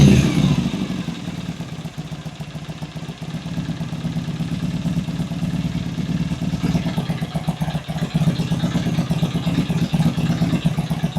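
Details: Vintage British motorcycle twin (V13 gold bike) at first start after cleaning the pilot jets, previously idled poorly: it settles into a steady, even idle with a light blip of revs near the end, no stumbling; idles healthily.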